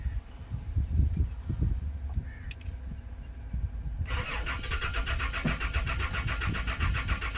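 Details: Toyota Land Cruiser V6 cranks in an even, rapid churn of about four strokes a second but never catches; crank, no start, with the fuel pump relay under suspicion.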